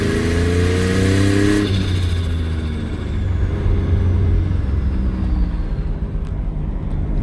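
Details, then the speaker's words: Twin turbo V6 Mustang, no blow-off valve, cheap turbos still making no boost, owner suspects the coupler: engine revs high then drops off throttle into rough fluttering whoosh; compressor surge. "But dang, that thing sounds wicked. That compressor surge. If you follow the build, you probably noticed by now, there's no blow-off valve on this."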